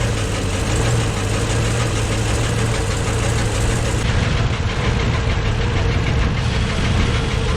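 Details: Uneven idle with a deep rhythmic internal knock keeping time with the revs, valve cover off. Valves partly dry but moving. Owner suspects the cam or a valve. Penetrant tried; cause unconfirmed.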